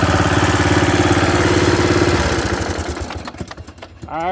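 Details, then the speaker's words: Bolens riding mower, single-cylinder, gravity-fed fuel, after new carburetor and new starter; the starter bendix still sometimes jams. Even chug about 3.5 pulses a second, then fading off; runs good, not smoking. "say that it runs good it sounds good it's not smoking"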